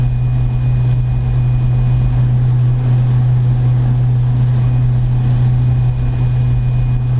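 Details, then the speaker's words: Electric boat (Delta) with a 4-bladed prop at about 3600 rpm, 39, 168 amps, 149 volts: heavy steady low drone with strong vibration into the hull, probably prop wash hitting the hull. "but i can just hear that there's a lot of vibration coming into the boat probably the prop wash is being hit up too much so uh yeah not quite what we're looking for here"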